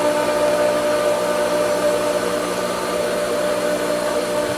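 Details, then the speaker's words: Pool pump after vacuum line and pipe back to the pool were sucked dry: steady motor whine with thin airy hiss, no solid water flow yet; pump struggling to regain prime. "It it kind of right now it sucked the entire vacuum line plus the length of that pipe back to the pool dry. So, she's trying and she will succeed."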